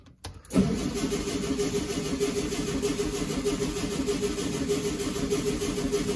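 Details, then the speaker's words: 1965 VW Beetle that sat in a garage for quite a while: steady starter cranking that never catches; no fuel reaching the inline filter, float stuck in the carburetor suspected. "nothing's in the filter nothing's in the filter huh okay sorry keep on cranking"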